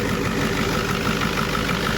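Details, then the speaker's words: 1990 Ford F Super Duty, naturally aspirated 7.3 IDI diesel, after replacing injectors (one leaking, one with broken pintle, likely missing on two cylinders): steady even idle clatter, no misses, restarts much quicker; normal diesel idle. "wow that's a big difference so let's see how it starts back up"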